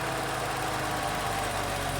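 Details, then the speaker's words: 1979 BMW E12 528i L-Jetronic six at idle: a steady, even, quiet hum with no misses or knocks. A vacuum leak and cracked intake boot are noted, and the clutch fan is possibly stuck on. Normal idle. "5 528i good old ljet great engines great cars oh yeah listen to that baby purr"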